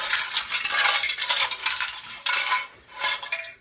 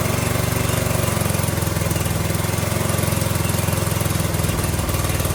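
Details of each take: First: Briggs & Stratton 18 HP Vanguard engine, stored and not yet run: bright metallic jingling as the muffler is shaken, with loose pieces tumbling inside. The muffler looks bulged on top and seems broken up internally; the cause is only suspected. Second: Briggs & Stratton 18 HP Vanguard V-twin being revived, with its muffler refitted and started on choke. A steady, even low putter that holds its speed with no misses or knocks: normal running.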